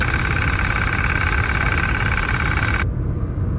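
An idling engine with a steady high whirring whine on top that cuts off abruptly, likely the AC compressor.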